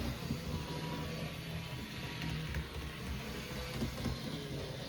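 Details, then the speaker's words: HO scale Lindsay Alco FA locomotive, rebuilt after zinc rot, now four-wheel drive, first run on track after reassembly: quiet even motor hum with steady gear whirr, no catches, stalls or surges; normal running, really smooth runner. "It's actually a really smooth runner. That's shocking."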